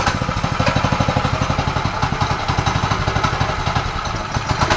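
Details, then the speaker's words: Newly acquired old free pit bike, no chain, after starting fluid and oil added: small single thumps at fast idle with uneven stumbling beats, runs rough and barely stays lit; any more than idle throttle kills it. "so giving it any more than idle throttle kills it touch it right what's going no right"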